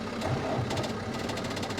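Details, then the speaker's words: 1994 Cummins diesel parts truck, water just added, cranking slowly with quick starter chatter and lazy turnover, not catching; jump cables from another truck needed; owner suspects a battery drain or an undersized battery. "uhoh had to get the truck over here get the cables on it I don't know it could be a drain on it or that battery is just kind of small"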